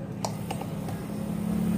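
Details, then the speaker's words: Refrigerator that was not cooling, compressor only clicking, after fitting a good overload protector: a couple of clicks, then compressor starts into steady low even hum drawing 1.0 ampere; normal compressor running. "ini dia akan berjalan dengan normal ampere 1,0"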